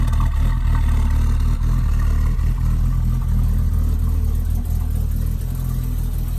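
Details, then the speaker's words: BMW E24 at idle, recently exhaust work done, not driven in a while, fresh gas with Seafoam added: steady low idle with slightly uneven loping beat and faint hiss; owner suspects slight vacuum leak, smoke test planned. "Yeah, it sounds like Hans has a slight vacuum leak. I probably need to get a smoke test done when I have a chance."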